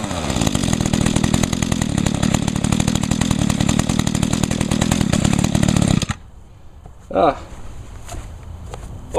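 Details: Mantis mini tiller, 21.2cc Echo two-stroke, 50:1 mix, choke-started after priming. Steady, fast, even buzz for six seconds, then cuts out: normal two-stroke running, runs real good.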